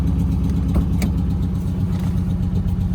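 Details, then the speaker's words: Damaged Dodge Challenger SRT 392 V8 at Copart, was smoking: rough idle with faint quick tap about four per second, valvetrain-like; motor suspected blown by hard driving, unconfirmed. Engine ticking at idle. "Yeah. You hear the little motor, got a little tap in it. Y'all hear it?"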